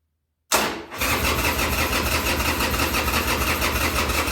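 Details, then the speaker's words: Harley-Davidson Sportster 1200 Custom (stated as 2000 and 2003), sat about six years, first-start attempt on choke after accelerator pumps: steady fast starter churn with uneven chuffs that never catch into a run; cranks but won't start, briefly tried when choke pushed in. "okay so i i was the whole time i was cranking i had to choke out then as soon as i pushed it in it tried it"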